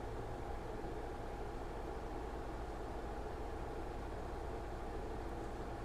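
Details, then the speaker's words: 2023 Harley-Davidson Street Glide ST Stage 2 build (CR483 cam, ThunderMax tuner in monitor mode, Bassani headers) during second idle tune, warm engine: low steady V-twin rumble, even beat, no misses or hunting; idle smoothing out well. "See, it's smoothing it out really good. That's what we want."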